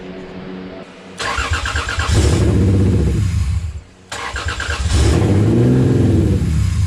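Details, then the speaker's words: Used Toyota 2JZ swapped into a car, first start with the ECU on, fuel primed, few things connected and O2 sensors unplugged: two cranking attempts at about four beats a second, never catching. Owner doubts the unplugged O2 sensors are the cause. "doesn't seem like it wants to run i don't know what that's all about um maybe because the o2 sensors aren't plugged in i doubt it"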